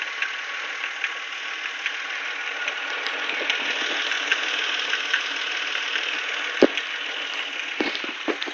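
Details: Nissan VQ25DE idling with faint, uneven light ticks over a steady hissy idle; owner thinks the tick comes from the IACV but is not sure.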